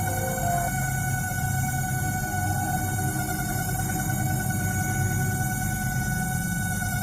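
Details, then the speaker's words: LG MS1911HE microwave oven on 1-minute timer: loud steady droning hum with high whine from fan motor; fixed by greasing and oiling the motor. "इसका fan motor में आवाज़ कर रहा है। ये जो आवाज़ सुन रहे हैं फैन मोटर का आवाज़ है।"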